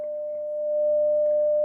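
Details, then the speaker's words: Telefunken Gavotte 55 tube radio after recapping, 600 Hz test signal from a signal generator: steady mid-pitch test tone over a low constant hum, quite a lot of hum. "there's a lot of hum actually quite a lot of hum"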